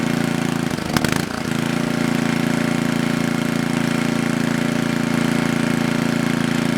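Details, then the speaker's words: Coleman Powermate Maxa 5000 ER generator after draining carburettor and adjusting the bottom fuel mix screw: steady, even drone at governed speed, no hunting or surging. Fixed, fault was the mix screw. "Alright, there is nothing wrong with this machine anymore. It was just the fuel mix screw on the bottom."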